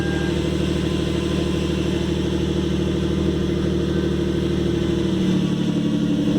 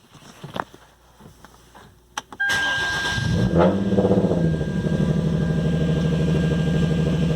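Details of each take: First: 2013 Hyundai Genesis Coupe 3.8 V6 Track, manual, after replacing the failed power steering pump and bleeding the system: steady smooth idle, even low rumble, the earlier pump whine gone, a successful install. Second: 2013 Hyundai Genesis Coupe 3.8 V6 Track, manual, before repair: after startup a thin, steady high whine holds its pitch over the idle; the power steering pump has failed and is to be replaced.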